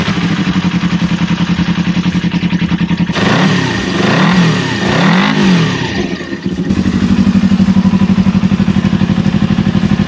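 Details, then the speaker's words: Old motorcycle, previously not running, after carburetor cleaning, new sponge air filter and battery install: steady even idle, then crisp revs rising and falling cleanly; runs as good as new, normal running. "I swear this runs like as good as it did like when it was brand new from the factory."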